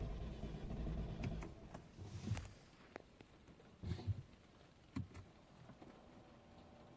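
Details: Ford with codes P02FA:84-2F and P02FA:00-2F (intake air flow position sensor min/max stop performance): engine rumbles about two seconds then dies to quiet clicks; broken throttle body actuator causes start-and-stall.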